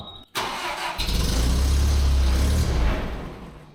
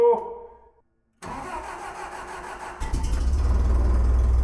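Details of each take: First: Terex crane engine after fuel mixture screw turned one turn richer: starter whirrs, engine catches and roars briefly, then runs down and dies once cranking stops; suspected loss of constant power to the fuel solenoid via the vacuum switch wiring. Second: Terex crane engine after new spark plugs and wires and restoring 12 volts to the solenoid: short crank, catches immediately and settles into a steady, even idle with no stumble; runs healthy.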